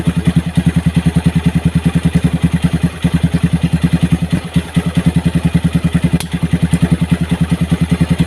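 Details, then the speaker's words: Motorcycle that previously had a seized piston and oil not reaching the cylinder head, running after oil was pumped through: even single-cylinder thumping of about three per second with no ticking or top-end clatter; it runs normally. "Semuanya berjalan normal, Bos."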